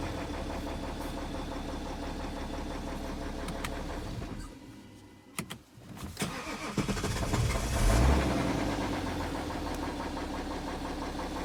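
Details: BMW E70 with N57 diesel: engine settles into idle with a steady, fairly regular knock over the diesel clatter, about three to four beats a second; owner reports engine knock.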